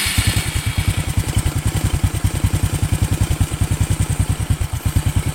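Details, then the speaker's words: Honda Karisma motorcycle after an engine overhaul, warm after a few kilometres of riding and stopped to cool: even, steady single-cylinder putter with regular beats and no ticking or knocking; smooth, stable idle. "ya untuk mesinnya ya halus tadi pagi sudah saya Nyalakan dan ini sudah saya bawa jalan kurang lebih beberapa kilometer kemudian saya berhenti untuk apa namanya menurunkan suhu mesin dan suaranya tetap stabil"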